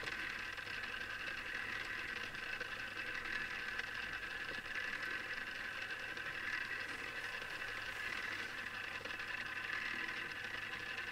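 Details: Newly assembled Tamiya Display Turntable Black on its first test spin at constant speed. A faint, steady high-pitched gear whir. Owner dislikes the gear noise and may fix it later; cause unknown.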